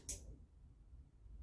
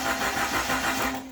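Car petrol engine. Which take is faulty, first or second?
first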